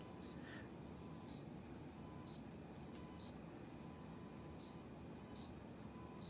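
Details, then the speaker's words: Yongnuo 42.5mm f/1.7 Micro Four Thirds lens: faint high electrical chirps about once a second as autofocus hunts on a low-contrast white wall in a quiet room; ordinary focus motor noise, which the seller says is normal. "You can hear the focus too, eh? It's got that electrical"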